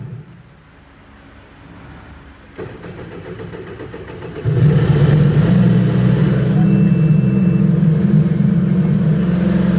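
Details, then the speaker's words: 2025 Sea-Doo RXP-X 300 after blown 5 A ECM fuse (low ECU voltage) fixed and ECU reset: cranks, catches, steady drone that won't rev up; check engine points to throttle body fault. "Ayunandar na sana kaya lang ayaw tumuloy. Wala siyang revolution guys. Throttle yung chick engine na yan. Throttle yan."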